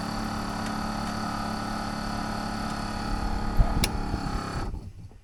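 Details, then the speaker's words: 1932 Studebaker air conditioner blower fan switched on with the engine off, running from the battery. A steady, even whir with a low hum and no rattle, scrape or wobble: normal blower operation. "But see, I can turn this on here, and I can turn it on here on the switch, and that's the fan."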